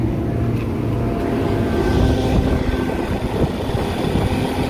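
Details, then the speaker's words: Indoor blower motor of a kitchen AC with no cooling: steady low drone with a rough, gritty rumble from dry bearings; the plan is to remove it and grease the bearings. "If you guys can hear that, bearing sounds dry. So I'm gonna shut this guy down and pull that out and try to lube up the bearings or grease up the bearings and see if that helps."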